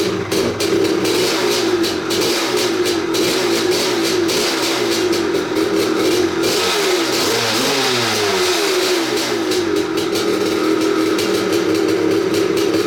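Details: 1986 Maico 500 two-stroke dirt bike after 2.5 years sitting, fresh non-ethanol 92, no carb clean: crisp ringing crackle, blipped up and down, idling steadily between revs; runs cleanly.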